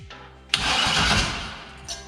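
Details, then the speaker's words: 350 engine newly installed in a C10 truck: starter grinds the engine over for about a second and it never catches; no ignition signal reaching the computer, likely from unconnected pink wires for key-on. "What it is, hey, you know what it is? We don't have the ignition, remember?"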